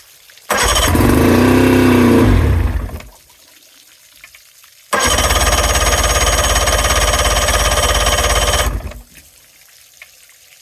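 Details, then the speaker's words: 2000 Johnson 50hp outboard on fresh fuel, spark excellent: starts twice, runs a few seconds rough and uneven, then dies; it ran on two cylinders and then dropped to one, which the owner says is not getting enough fuel. "so as you guys seen it round on two cylinders for a little while there but then it cut back to one so that's an indication one of the cylinders isn't getting quite enough fuel to to fire up"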